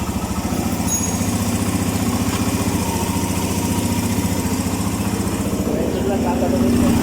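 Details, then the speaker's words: Suzuki Mola GS125 engine converted to 150 and rebuilt; after repair the earlier ticking noise is gone, leaving a smooth, even single-cylinder idle with steady low beat: normal idle. "Tahimik na. Hindi pa kagaya nung nakaraan na may lagitek, ngayon wala na."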